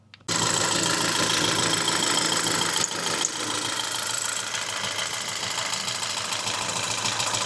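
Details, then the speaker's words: Facebook Marketplace petrol car with a known fault and a low oil pressure warning, just after an oil change: started and idling with a busy, uneven tick and loud valvetrain chatter, cause not confirmed; noisy ticking idle. "And now that I've started up and let it idle, it does sound quite noisy."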